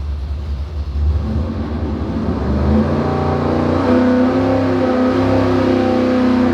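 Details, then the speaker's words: Dart 400 small-block Chevy V8 on an engine dyno, about 581 hp at 6,600 rpm and 518 lb-ft, after a higher-number power valve cured a lean misfire on tip-in: strong, smooth rising roar with no stumble or popping. Clean wide-open-throttle pull. "What's happening, and I can hear it as I'm rolling into the throttle, the power valve's not open, and it goes lean. You can see it on the air fuel ratio too."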